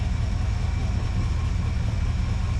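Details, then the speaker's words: 1980 Ford Bronco V8 running after 8 years sitting, with new fuel tank and sending unit, on a cold day: deep, steady, slightly fast but even cold idle without misfires; healthy. "it's idling that quick, man. I mean, it's kind of cold out here."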